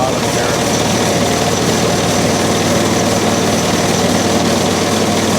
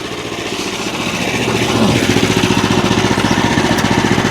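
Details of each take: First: Small engine on a used bandsaw wood mill bought not running, started on choke with fuel on and throttle three clicks. It holds a steady run on choke, then turns rough and uneven; won't idle without choke, so the carburetor idle circuit is clogged and needs cleaning. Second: Small engine on a bandsaw wood mill, bought as a non-runner, revs up after carb work and settles into a quick, even putter with steady beat and no stumbling; runs clean, normal running.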